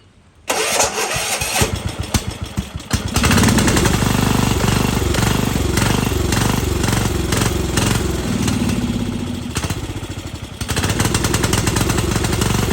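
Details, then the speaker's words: 1998 Yard Machines 13/38 riding mower, sat for several years: the engine catches, then hunts up and down in speed instead of holding steady. Bad surging because it is sucking in air. "I got a very bad surge obviously the things suck in air and everything"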